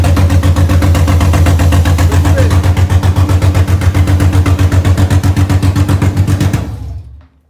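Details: BMW M52B28 engine in an E30, first start after the swap, with the idle actuator hose refitted: even, regular firing pulses at a settled idle with no knocks or rattles, then switched off. The oil light went out, and the smoke comes from residue on the exhaust. Healthy engine.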